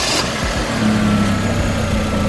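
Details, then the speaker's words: Hyundai Genesis Coupe 2.0T after serpentine belt replacement: steady, even idle with a low smooth hum and no squeal or chirp from the new belt; normal idle. "good, sounds good, no squeaking, it's fast."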